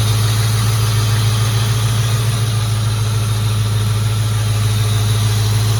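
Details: Ford Mustang GT V8 at idle after heater hose work (heater core cracked, coolant had dripped from firewall drain onto exhaust): deep, steady, unbroken burble, no ticks or knocks; oil pressure up, exhaust leaks checked, normal idle.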